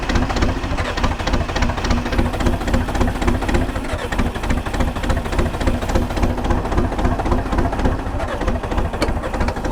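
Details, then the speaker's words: 1980s bulldozer diesel with no glow plugs, cold start at 52°F: heavy, uneven labouring at about three to four pulses a second, struggling to catch; hard starting in cool weather. "so she is not happy about starting in the cool weather and it's a Brisk 52 degrees today so yeah it's not going to be excited about starting"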